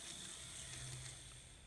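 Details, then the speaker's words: Kato N-scale SD40-2 Burlington Northern locomotive sold as noisy, test-run on track at normal running speed: the motor whirs smoothly with a light gear hum and no grinding or catching. Healthy running. "oh that sounds real good i'm gonna give it a little bit of speed this is about the speed that i normally run them now that sounds real good"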